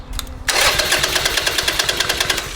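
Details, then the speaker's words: 2007 Harley-Davidson Sportster after replacing rocker box gaskets, valve ticking heard at first start: starter spins engine with quick even chuffs, about seven a second, but it never catches; cranks without starting, rebuild expected. ">> Now it's not even going to start."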